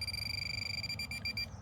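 Fast even high-pitched beeping over a quiet background, then stopping; the pinpointer sounds on the target only and is working normally.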